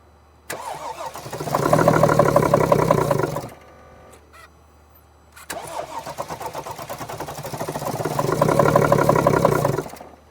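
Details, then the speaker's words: 2014 Mercedes GL350 3.0 L diesel with battery charger connected, starting fluid sprayed into the intake: cranks, catches briefly and rises unevenly, then dies, twice; stumbling start and stall, fuel delivery thought unlikely since it won't keep running on starting fluid. "Interesting. It almost started and then now it would try again."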